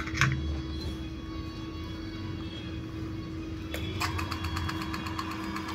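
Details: Crompton ceiling fan after coil rewinding, varnishing and bearing repacking, tested on series line with 200 W bulb: steady low hum, even tone, no rubbing or ticking; motor running smoothly, normal.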